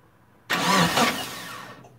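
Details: Turbo Eclipse GST, first start attempt after about 9 years off, battery charged, about 5 gallons of fuel: a brief burst of cranking that dies after a second without firing. No fuel pump prime heard; scan points to the fuel pump, bad or faulty wiring. Crank no-start.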